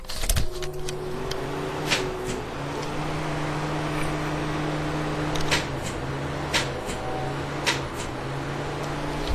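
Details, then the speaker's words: 1992 Pontiac LeMans with 198,000 miles, after driving home: sharp, irregular clicks over a steady low hum and the engine won't crank; a battery charger didn't help, and the starter proved to be the fault. "got it home won't start the starter clicks so here's a little demo of what it sounds like"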